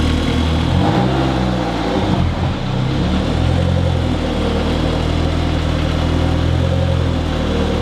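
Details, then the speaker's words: Mitsubishi Eclipse with mid-engine 4G63, first start after oil pan reseal: engine settles into idle with a dull knock, only at idle, seemingly from the bottom end though no bottom-end play was found; cause unknown (rod, lifter, timing belt suspected). "it only does it at idle this is now all uh chanel the main priority i'm sure you can hear that noise through the camera that ain't good"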